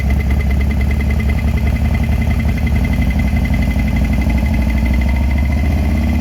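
Steady idle with a fast, even ticking knock riding over the engine and a faint high whine; knock present, cause not pinned down.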